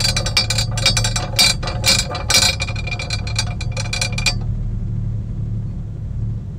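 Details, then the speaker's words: Pontiac Aztek idling to warm up for cooling-system bleeding: irregular bright metallic rattling from the rear, a loose jack tool in the rear floor compartment, silenced by securing it with a zip tie. "the whole time i'm in the car i could hear this metal rattling sound coming from the rear end of the car and it's super annoying so i'm like let me go investigate i took off this cover right here where we have the floor jack and what's rattling is this thing"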